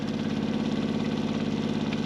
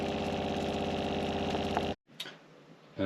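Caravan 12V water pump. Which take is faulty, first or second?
first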